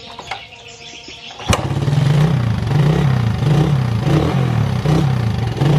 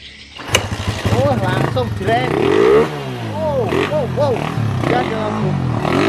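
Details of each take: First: Suzuki Satria FU motorcycle, hard starting especially mornings needing 10-20 kicks, revs limited at high throttle with black smoke despite repeated carburettor rebuilds: catches quietly then surges in short uneven blips; cause a failing spark plug cap. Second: Suzuki Satria FU motorcycle, previously hard to start with limited revs, carburetor worked on: catches at once, then crisp throttle blips, revs rising and falling cleanly with no stumble; runs healthy.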